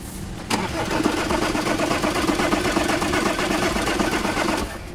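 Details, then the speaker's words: Audi Q5, towed in with a starting problem: starter cranks steadily for about four seconds but the engine never catches. Scan shows a fuel pump electrical circuit malfunction code. "So చూసారు కదా, start అవుతలేదు vehicle."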